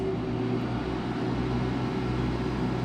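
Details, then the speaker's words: Duromax generator (2020) under load test, running refrigerator, idle microwave and window air conditioner on high cool with compressor starting: steady low drone holding constant speed with faint hum, no surging or bogging; sounds healthy, normal running under load. "sounds healthy okay so now compressor's running here starting to blow cool air"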